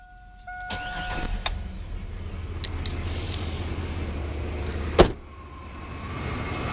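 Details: 1998 Chevrolet Blazer 4.3 V6 after repair (new timing chain, motor mounts, gaskets): settles into a low, even, quiet idle after starting, with a few clicks and one sharp knock; exhaust leak remains.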